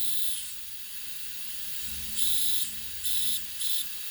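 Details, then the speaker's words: Simplex restoration, first run on regulated compressed air via an oiler: sharp high hiss in short bursts over a faint hum from inside; air leak, owner also notes air escaping near the blow-down valve. "but then there's a hissing noise coming from inside which is concerning me"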